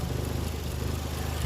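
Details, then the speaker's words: Toyota JZX110, warmed up, idle just over 500 rpm: slow, deep, uneven thrum with slight wobble; idle too low, unchanged with VVT-i solenoid disconnected; later corrected by readjusting the throttle position sensor. "we've got about just over 500 rpm so she's warmed up and dropped the RPM"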